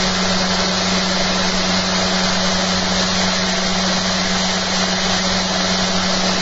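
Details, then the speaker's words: Generator test rig with new eccentric bobbin and magnet holder, after fixing rattling, soft-start drive motor: smooth steady hum with fine commutator brush hiss, no knocks or grinding; much quieter running. "Much quieter. This thing's got a soft starter on it, you have to press the power button to get it to really go. I tell you what, it's so bloody quiet I can hear the motor now. I couldn't hear the motor before."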